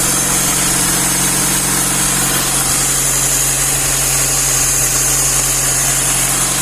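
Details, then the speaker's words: Classic Lada 1.5 with a rebuilt Solex 83 carburetor, started in frost on choke: mixture richened, choke partly left on, now an even, steady warm-up idle with a smooth low hum and no misses or hunting. "додав суміші і трішки пускове залишив нехай гріється машина"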